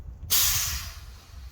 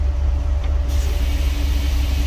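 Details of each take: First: 1961 Dodge C800 ramp truck with 361 Chrysler big-block petrol engine running: sudden steady hiss of compressed air fading over a second, escaping at the air horn because no hose is connected to it. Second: 1961 Dodge C800 ramp truck idling after first move: deep steady rumble with faint constant hum as the air compressor kicks on; normal compressor cycling.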